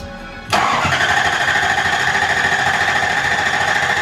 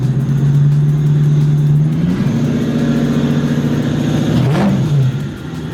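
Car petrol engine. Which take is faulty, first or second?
first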